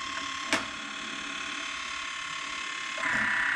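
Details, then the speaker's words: Woodland Mills Grindlux 4000 sharpening old Lenox sawmill blades: steady motor hum, a click, then a light hissing rasp as the grinding wheel starts touching the gullet bottom while height is being set. "You can actually hear the disc, or the grinding wheel, starting to touch, create a bit of friction on the bottom of that gullet. That's what I'm listening for."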